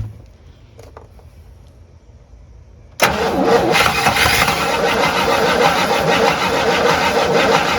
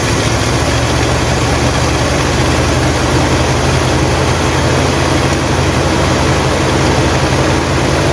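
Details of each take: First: Abandoned 1958 Super, first start attempt on a mystery engine with fuel poured into the line and bowl: after silence the starter cranks steadily, about three turns a second, with no firing; no fuel, and the fuel pump is judged dead. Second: 1958 Buick Super's engine at steady, even low idle after its first start since being abandoned, oil pressure good and charging; smooth unchanging beat, no knocks or stumbles, running healthy.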